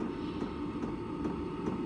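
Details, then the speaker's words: Hcalory diesel air heater in a camper, room up to temperature, cooling itself before shutoff as it did before in the garage: steady fan whoosh with a faint regular tick about every 0.4 seconds; normal cool-down. "I bet it's going to shut off now cuz it's reached the temperature because when [snorts] I started it up in my garage, this is what it did when it went and shut off. It's going to cool itself down and it's probably reached its temperature in here."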